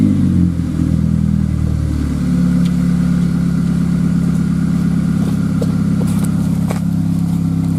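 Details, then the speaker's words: 2000 GMC Sonoma 2.2L I4 with a newly installed Magnaflow dual exhaust kit, idling and lightly revved: a steady, deep, low rumble that swells a little on the revs, with a four-cylinder character. Healthy engine, free-flowing exhaust. "far it doesn't sound too ricey it actually sounds pretty darn good a nice deep rumble uh it has a little bit you know it has the four cylinder sound that's nothing you can get rid of"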